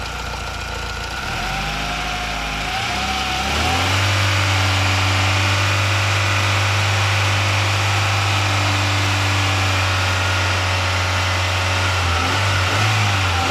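Engine settles into a steady idle with a low drone and a gritty rasp riding over it; source of the grind unclear.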